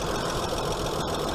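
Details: Hyundai Sonata 2.7 V6 after cambelt and water pump change: steady even idle with faint hydraulic tappet tick in background; engine healthy and quiet.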